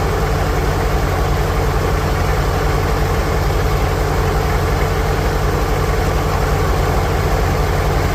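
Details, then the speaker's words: 1946 International Harvester Farmall H four-cylinder, in neutral after a pushrod replacement and deep cleaning, with a low battery: deep, even putter at around 170 beats a minute with no misses or knocks; steady, normal idle. "There she is over there, idling all loyal like."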